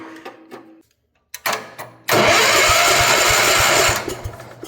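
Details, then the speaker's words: Barn-find 1972 Gravely Commercial 12 walk-behind, sat for years: starter churns steadily about two seconds with no firing; no spark while cranking, faint spark after releasing the key; owner suspects dirty points. "Are you serious? It doesn't have spark when it's cranking, but it has spark after you let off the key."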